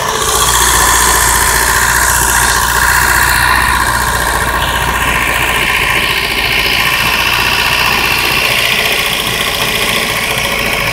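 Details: 1992 Mazda 323 B6 engine, extremely hard to start; loud uneven stumbling lumpy idle — horrible misfire at idle, cause unknown.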